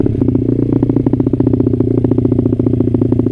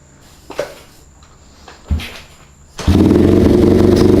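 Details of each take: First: Honda CRF50 idling after a run that broke up at high revs. Steady, even putter with regular firing pulses and no misses; it idles all right. Rider still plans to change the main jet. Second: Honda CRF50 just started in first gear, after the carburetor float was readjusted. A quick patter at idle that wavers slightly; it struggles a little to idle, though not badly.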